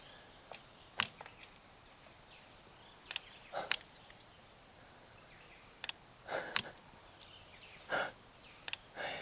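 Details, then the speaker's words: Fox Live Valve 1.5 mountain bike suspension, simulated climbing and descending: sharp single ticks every second or two as the latching solenoid opens or closes the valve, normal operation. "now what you want to listen for here is a clicking noise which is the latching solenoid opening or closing the valve depending on the gradient of the terrain"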